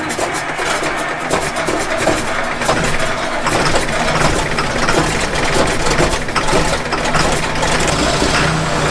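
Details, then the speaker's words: John Deere 9600 combine on a cold day after replacing the starter, solenoids and ground wires and cleaning the connection: big diesel catches and holds a steady, even idle with no stumbling or knocking; starting fixed. "well she fired up it was a little cold today I lost some of that footage so I had to come back and remake it but anyways the starter works now which is awesome"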